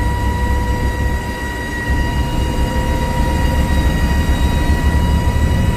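Steady high whine sitting over a heavy low drivetrain rumble while pulling: a whine under load, cause not identified.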